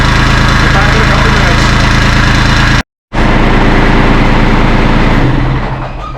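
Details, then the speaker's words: Kubota LX2610 diesel tractor at 49.8 hours, in neutral with brake on, started after glow plug warm-up during 50-hour service: steady diesel clatter about four beats a second, even with no misses or knocks; healthy idle. "so just gonna warm the glow plug up for a second i'll start it up so i'm gonna run it for a couple minutes"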